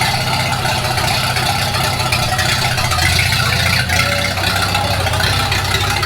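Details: 1942 Farmall H tractor, hand-crank started in the garage after transmission teardown and repair of a scraping/screeching noise and hard reverse shifting, carburetor not yet adjusted: steady, even four-cylinder idle beat with light mechanical rattle on top, no misses or knocks; normal running.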